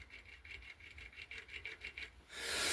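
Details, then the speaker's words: Bicycle wheel on an Araya rim, spun freely: the customer reports the hub sounds dry and notchy, and a dry, gritty rasp pulses about four times a second. Dry, notchy hub bearing needing service; the wheel is also slightly out of true. "Another one is this wheel on an Araya rim, and basically he said could do just a little bit of a service on that hub, because it's sounding a bit dry and notchy, if you can"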